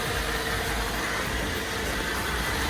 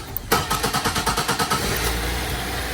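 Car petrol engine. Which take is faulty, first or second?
second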